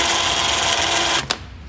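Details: Badlands winch for a 2009 Kawasaki Teryx, bench-tested on a 12 V battery charger with the handheld remote: steady high-pitched electric whir for about a second, then a click cutoff; healthy motor paying out.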